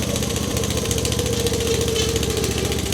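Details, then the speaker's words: Wessex AF flail mower G2 towed by a UTV, drive disengaged at lowered revs: loose, uneven flail rattling over steady engine drone as the rotor spins down; normal flail rattle during run-down. "you'll hear them rattle which is perfectly normal"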